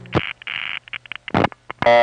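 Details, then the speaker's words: Number one crossbar office (NEptune 4, Belle Harbor, Queens), 1974 recording. Quick, even trains of short tone pulses with gaps: revertive pulsing, which to a number five crossbar runs faster than to a number one crossbar and to a panel office has a definite rhythm. Normal signaling. "but to a panel it's always revert of false and the panel revert of pulsing has a definite rhythm to it"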